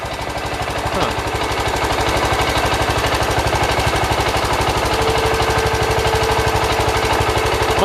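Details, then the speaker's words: 1971 John Deere 140 H3 mower engine after a partial rebuild, reassembled and reinstalled: steady, even single-cylinder thump at fast idle, regular firing, no knocking or misses; no longer smoking after burning off oil, no leaks, running much better. "it's not smoking now as you guys can see and it definitely sounds like it's running a lot better"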